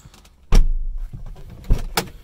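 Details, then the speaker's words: Second-generation DSM (GSX) door after the window-rattle fix, window fully up: a firm single thud on close, clean and dull with no buzz or glass rattle, unlike before. "solid open and shut nothing like it was before I'm very happy with us"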